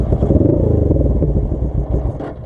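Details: Custom Suzuki GS450 scrambler, choke halfway on: uneven, stumbling idle that sags and fades as it tries to die; fuel starvation because the petcock vacuum line was off and the clear fuel line ran empty.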